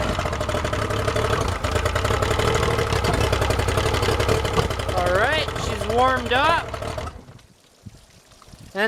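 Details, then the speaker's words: Yamaha outboard just started on the water hose, idling with an uneven, lumpy beat for several seconds, then stalling abruptly; the owner thinks fogging oil is still inside, and after a restart and warm-up it idled well. "stalled what the hell I think it's still some fog in oil in there"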